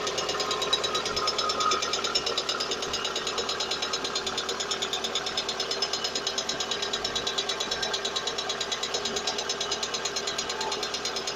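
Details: VAZ engine at idle: fast light ticking about two per second rides evenly over the idle, valve train tapping from the hydraulic lifters.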